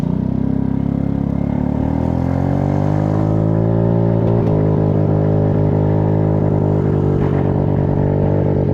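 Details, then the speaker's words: PMZ50 Honda Grom clone with faulty wiring and solder joints but good stator and CDI, riding uphill at wide open throttle about 22 mph: engine climbs in pitch then sputters with irregular dropouts as the spark cuts in and out. "You hear that? It's sputtering. That's the spark cutting in and out."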